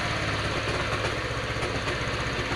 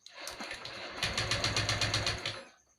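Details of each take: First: Honda Vario 125 FI scooter after electrical wiring work: it starts after a couple of failed attempts and settles to a quick, even putter at steady idle, with no misses, rattles or hunting; the engine runs healthy. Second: Honda Vario 125 FI being rewired after a burnt harness, MIL blinking, starter button fed from battery: starter churns in quick even pulses about four a second but engine never catches; cranks, won't start.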